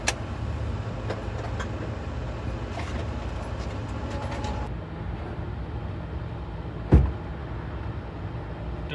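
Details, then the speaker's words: 2014 Honda Accord 4-cylinder (2.4 i-VTEC per description), about 127,000 miles, original starter: with the key turned the car stays quiet and gives one sharp click with no cranking; a worn starter clicks instead of turning the engine. "Here's the sound you'll probably hear. Put it back so you can hear the sound. The starter clip."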